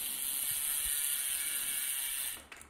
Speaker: this is before so now ya are quiet that is that's how you know that's adjusted there's no rubbing or anything